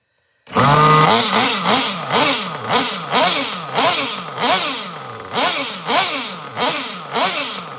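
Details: Small nitro RC engine, untuned and not yet fully warm: fires and surges up and down about twice a second, revs sagging and burbling instead of holding clean; running rich, mixture likely needs about half a turn out.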